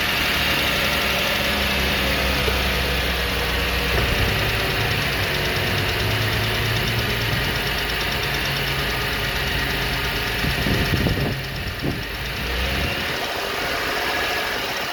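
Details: Idling petrol engine with a quick, fairly regular tick over its running note; owner asks whether it is lifter tick or worse, and the cause of the ticking is unknown.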